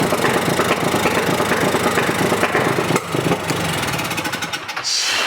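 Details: Polaris RZR 170 UTV, 169cc four-stroke carbureted single, before carburetor adjustment and cleaning (previously wouldn't start): uneven, clattery running with a loose rattle about three times a second and sharp pops; rough running with backfiring.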